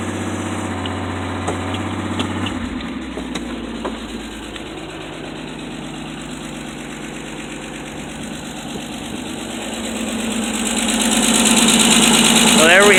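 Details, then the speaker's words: 1984 Ford F250 after cleaning a badly rusted battery cable and clamp that had stopped it starting: engine catches and settles into a steady, even idle with a smooth rhythm and no misses; runs normally. "it there we have it never underestimate the power of corrosion and rust to stop your vehicle from starting up"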